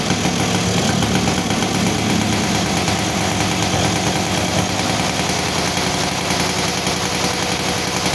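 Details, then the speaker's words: Yamaha Sigma two-stroke motorcycle that kept flooding spark plugs, after sealing a leak and carburetor refitted with cleaned plug: crisp, steady idle with quick even putter, no stumbling or misfire; engine runs clean, free-revving with good power again. "oke ya teman-teman eh motor udah enak kembali ya jadi tenaganya juga enak nih jadi di Udah Ee udah kedengaran ya jadi dari suaranya juga enak ya lepas gitu kan pas dia enak"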